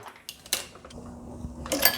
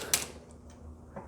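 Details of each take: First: Short squeaks and creaks with each press stroke as brass cases with three firings go into the sizing die; the dirty brass drags in the die. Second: you can hear that sizing die squeezing down [Applause] otherwise though these cases don't look so dirty just yet still pretty clean for having three firings so far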